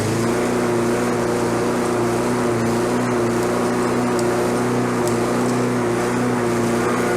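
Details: Discarded Lawnboy self-propelled walk-behind mower running with no load: a steady, high-pitched drone held at constant high speed. The engine is over-revving, and the governor arm was bent to bring the rpm down.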